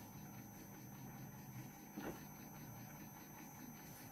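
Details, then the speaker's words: Samsung RCD-M70 boombox cassette deck on fast-forward: quiet, even whir with a faint steady hum, no catches or squeals; tape winds smoothly, normal (rewind is noisier). "Как слышно, работает. Вот это шум."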